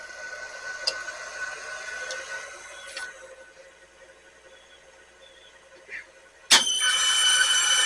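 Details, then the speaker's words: Sony VO-5800 U-Matic VCR: quiet mechanism whirr and clicks, then loud shrill squeal as tape playback starts, badly affecting picture; pinch-roller solenoid also slow to engage. "uh you only hear that noise but yeah there's squealing and it will threat up however there's something wrong with the engagement near the end with t"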